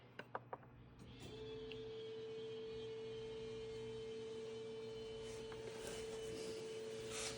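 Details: 2011 VW Jetta Sportwagon 2.0 TDI after fuel filter replacement, fuel pump activated via VCDS: quiet steady hum at one pitch for several seconds, no surging or rattling; normal fuel pump priming, no leaks.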